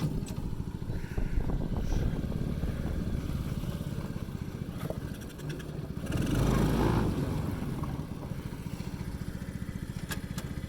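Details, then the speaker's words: Ice Bear Mini Jeep, 125cc air-cooled, about one year old, cold start on choke after sitting in the sun; uneven chugging with a loose metallic rattle on each firing pulse that grows with revs; cause not identified. "Hear that rattle's already starting, and I need some choke still."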